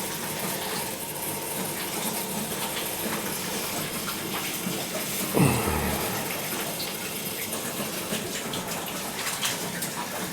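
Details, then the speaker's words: Air purge of one of three heating zones on a newly installed gas boiler before first firing: a steady rush of water through the pipes with a brief gurgling surge midway as trapped air is flushed out. "We'll purge each all three of these zones good and we'll fire it up. See what happens. It should should be fine."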